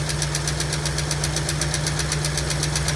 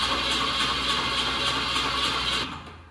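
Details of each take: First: 1965 Ford Mustang coupe, supposedly a 302 V8 fitted around 1989–90, parked since 1992 with a locked-up engine, first start: sharp even tick about four per second over a rough lumpy idle, no smoke yet; persistent valvetrain tick, possibly a sticking lifter. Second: 1965 Ford Mustang coupe, engine swapped around 1989–90 (supposedly a 302), sitting 33 years with engine previously locked, first crank test, battery charge unknown: steady fast starter whir with even compression pulses, turns over freely; oil leaking, spark present.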